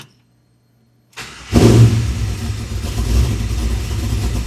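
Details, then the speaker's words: 1967 Chevy C10 with LS1 swap, after switching to a new keyed 12-volt source live during cranking: brief crank, catches at once, settles to steady, even low idle; normal start and idle. "Got a new keyed 12vt source. That's on when it's cranking."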